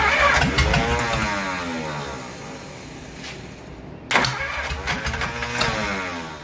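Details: Replacement engine for 1947 Plymouth Special, sat since 1975: quick even cranking about three and a half turns a second, no firing, stop and restart; valves stuck open from carbon on valves and seats, confirmed after head removal.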